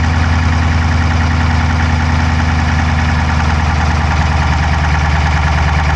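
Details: Dodge Charger Hemi V8 at idle, camera inside driver's side engine bay: quick light ticking over steady idle; no smoke from the exhaust, so owner doubts a dropped valve; cause unknown.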